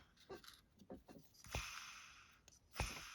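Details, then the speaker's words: ABU Ambassadeur 5500C fishing reel with the gear train removed, spool spun by hand: a dry, gritty rasp that fades as it slows, from noisy worn bearings that need replacing. "how noisy the bearings are so this reel really does need a new set of bearings"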